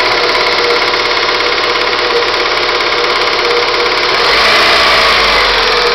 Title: Stukanie silnika